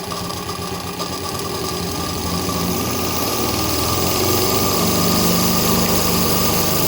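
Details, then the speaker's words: Very old JMC 5 cc live-steam engine with flat slide valves and Stephenson link gear, tested after adjustments at about 3 bar while being accelerated progressively. Quick, even chuffing of about four beats a second climbs smoothly as the throttle opens; running cleanly. "Et alors donc on est, comme je vous l'ai dit, à peu près à 3 bars, et on va accélérer progressivement, et Eric va tenir son bébé."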